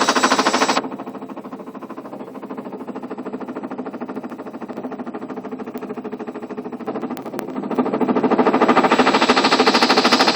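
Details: Ariston washing machine on spin with ordinary laundry: hard, even knocks about three per second grow louder as the drum speeds up, something knocking inside the tub. The machine does not jump or shake. Cause unknown.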